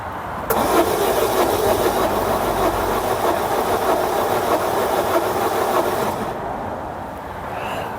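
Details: 2011 Peugeot Bipper diesel that overheated on the motorway and had not been started since, cranked on a new battery with the glow plug light flashing: steady cranking with no firing, spinning too freely. Snapped cambelt suspected.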